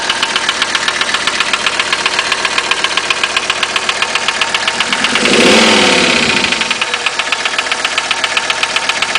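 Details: 1985 Mercedes 300TD diesel at idle: hard, even knock at roughly four beats a second that sounds like piston slap, though owner doubts that is the cause; source undiagnosed.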